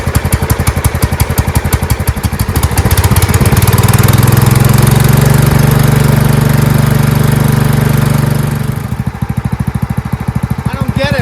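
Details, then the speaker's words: Marching band hauler small engine whose carburetor flooded, fuel pouring out the muffler on first start; needle not seating; loud steady full-throttle drone dropping to a lumpy idle; flooding from a clogged needle seat. "but as you did see it there is something going on with the carburetor because on the first start there was fuel that poured out of the uh Muffler"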